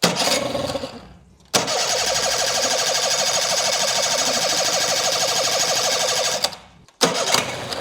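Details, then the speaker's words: Craigslist outboard after a carburetor cleaning catches and runs high, buzzy and slightly uneven for several seconds, then cuts out. Owner suspects the carburetor set screws (idle and mixture) need adjusting. "All right, she definitely sounds like she wants to go. I'm very confident in my carburetor cleaning job, so the issue is probably just that I need to adjust some of the set screws."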